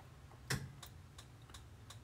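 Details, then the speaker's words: RV dual-fuel refrigerator switched to gas after purging the propane lines: sharp, even ticks about three per second over a faint hum as the igniter sparks and lights the propane; normal ignition. "actually hear the ticking now it's lighting the propane"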